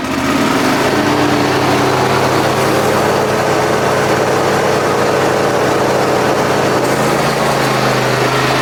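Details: John Deere X540 mower, came in cranking with no spark and unused about a year; both coils dead, failed module replaced; twin-cylinder engine runs steadily at even pitch, no misses or surging; normal running after repair.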